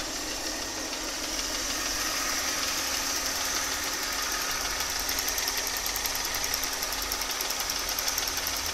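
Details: Mercedes M272.967 engine, hot idle: quick, sharp tapping knock a little over three per second, fairly even, loudest on the left side of the engine; cause not pinned down.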